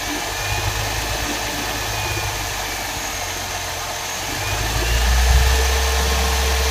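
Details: 2007 Mercedes CLS 350, M272 engine, idling: steady mid-pitched hum with a faint rapid pulse about three per second; abnormal engine noise, cause unclear.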